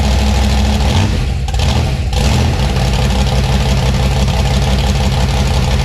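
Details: 1956 gasser V8 with new 750 Holley carb, timing set: deep, lumpy rumble with crisp throttle blip settling back to steady idle. Runs properly.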